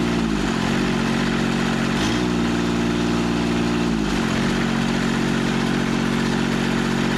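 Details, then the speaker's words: Scrapyard Carrier AC Kubota three-cylinder diesel, restarted after sitting: steady even three-cylinder beat, smooth low drone with brief dip and recovery; runs cleanly on all three cylinders. "but she lit up on all three cylinders perfect"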